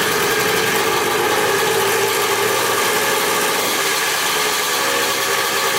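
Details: 175 dirt bike, possibly a 1981, bought cheap, restarted after clutch adjustment: small engine ticking over with a quick, raspy, even buzz and no odd knocks or misses; runs healthy at idle.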